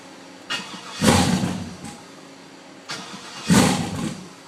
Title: WON'T START!!!